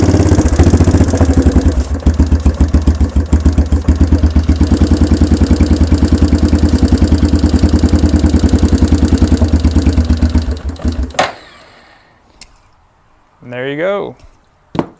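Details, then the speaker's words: 1992 Yamaha Big Bear ATV that sat about a decade, cold, choke pulled: rough single-cylinder putter near 150 beats a minute for ten seconds, then dies; runs only on starter fluid, the carburetor is gummed and needs a rebuild. "is running just with some starter fluid we didn't change anything else out"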